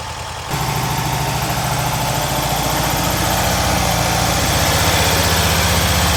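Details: Freshly rebuilt VW Type 1 air-cooled flat-four from a Karmann Ghia, first start after hooking up the coil, not yet broken in; engine catches after cranking and settles into a steady, even chug, rising slightly as it warms; normal idle.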